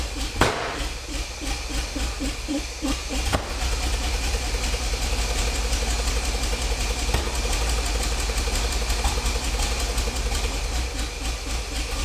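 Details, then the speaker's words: 50-year-old petrol engine in a 1975 Bedford truck, first started during restoration, running on heavy choke: an uneven, lumpy beat with pops and surging that smooths as the ignition timing, which was well off, is corrected. "all right that was definitely starting to run a little bit better there the time in was quite a way off"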